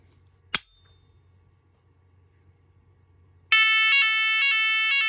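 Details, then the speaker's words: ARKEON Type 4/PPMS radio fire alarm system after configuration; a click, three seconds of quiet, then a loud high two-tone warble pulsing about twice a second as the siren triggers and works normally. Fire alarm siren sounding. "et maintenant je vais déclenché alors attention aux oreilles ce ça risque d'être fort"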